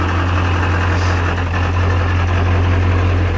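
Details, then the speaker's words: Ford Powerstroke 7.3 diesel truck idling, battery low (~10.5–11 V running): heavy drone with loose uneven rattle from bell housing in neutral, goes quiet in reverse/drive; owner suspects transmission issue, not confirmed. "however I put it in gear that noise goes away that's neutral reverse quiets down again back to neutrals noisy and nasty again"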